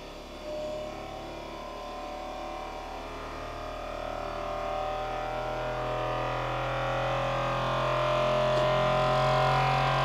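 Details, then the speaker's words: Creality Ender-3 V3 Plus 3D printer during initial self-check, running input-shaping vibration test on a wobbly table: steady buzzing hum with sustained tones shifting slightly; normal resonance test. "so if you can hear that noise it's doing a vibration test"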